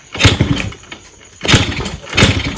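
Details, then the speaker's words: Freshly rebuilt, untuned Yamaha RXZ, first start on a small fuel bottle after cleaning a varnished carburetor: short rough bursts about a second apart, sagging and nearly dying; won't hold idle; owner suspects the small fuel amount. "so yeah it started very less amount of fuel so that could be one reason why they cannot get it to idols now set is obviously not tuned some freshly rebuilt engine"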